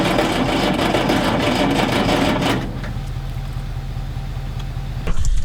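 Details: Galion T500 motor grader diesel, sat in woods 14+ years since 2007, cranking on ether after a connection tightened; loud rough cranking nearly fires then drops off, cranks but won't start; a hydraulic line blew on pressure, water found inside.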